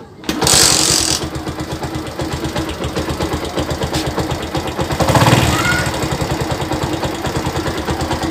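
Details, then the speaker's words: Shogun SP 125 FL motorcycle, just acquired and not yet opened up, idling after kick start: small single with fast, even patter and a light tick riding on it; source of the ticking still undiagnosed. "cuman ini ini ada surat suara ngelitik deh suaranya itu detik jadi belum saya bongkar soalnya saya baru dapet saya baru dapat kemarin ini suaranya mengetik kata nanti kita analisa suara ngelitik ini apa ya guys"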